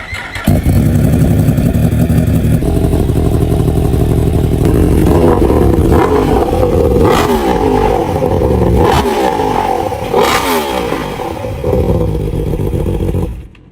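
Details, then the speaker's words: 2021 Yamaha R1 CP4 engine after an overhaul for a spun cylinder 1 rod bearing caused by a clogged oil pickup, with a full Akrapovič exhaust: crisp start, clean revs, very loud exhaust, no knocks or rattles. Healthy running. "This full Akrapovič exhaust is absolutely deafening!"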